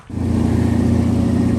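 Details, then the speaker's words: Old Chrysler Cordoba, unstarted for two or three months and out of gas, after adding about a gallon of fuel: the engine catches and settles into a steady, even low hum with no misses or knocks. "we got it in there and the car is running so now we got to get dale the truck boosted"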